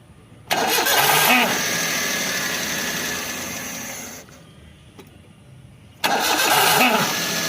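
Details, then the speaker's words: Maruti Alto K10 starter motor: engine starts but right after, starter whirs high and free with a thin spinning whine that doesn't catch cleanly; slipping drive gear and worn brushes in the starter. "इस Alto में problem यह है जब हम self लगाते हैं। Self लगाने के बाद में गाड़ी स्टार्ट हो जाती है। स्टार्ट होने के थोड़े से तुरंत ही बाद आवाज आती है।"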